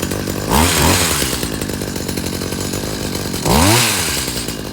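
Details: Stihl HS45 hedge trimmer, choked and primed, started after its recoil starter repair: small two-stroke idles steadily, then twice revs up cleanly and drops back smoothly. Normal running.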